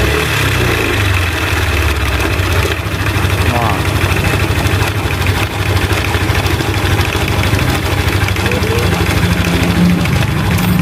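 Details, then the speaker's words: Yamaha Aerox scooter with cylinder head opened, rough mixed noise of ticking and crunching knock over a busy idle that gets harsher when revved; worn camshaft bearings suspected, also check valve clearance, rocker arm bearing and tensioner. "untuk suaranya sebenarnya Kasar banget jadi campur campur jadi campurnya ada ngeletek ada bunyi krokkokkroknya juga"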